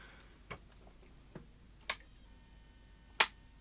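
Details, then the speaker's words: Sony Betamax SL-C9 video recorder on an isolation transformer with a suspected power supply fault: irregular sharp ticks growing louder with no power-up; the power supply is making an odd ticking noise, cause not confirmed. "okay so that's just uh making an interesting noise that power supply"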